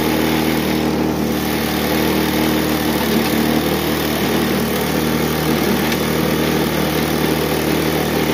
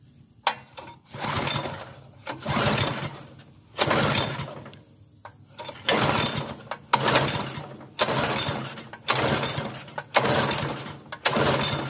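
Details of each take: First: Bluebird belt-driven aerator engine after its clogged carburetor was cleaned and refitted: a steady, even single-cylinder buzz for several seconds without surging or dying. It now runs on its own power. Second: Bluebird belt-driven aerator bought not running, fresh gas in the tank: about ten pull-starts, each giving only a brief sputter before dying. It needs carburetor work; the clogged carburetor was later cleaned out.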